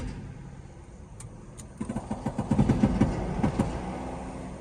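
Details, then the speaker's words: 2011 Mercedes-Benz GL450 4Matic V8, windows down, pulling forward: repeating click of about three per second over road noise; CV axle suspected but it clicks going straight, not turning, so cause unconfirmed, needs shop check. "right, sounds like a CB axle clicking up there, don't it? We heard that. So you got a little something clicking."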